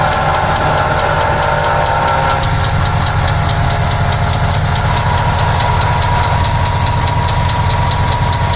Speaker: con el tiempo y con el uso estos baleros se resecan y se desgastan comenzando a sonar como en este caso que los valeros internos de la bomba de agua están sonando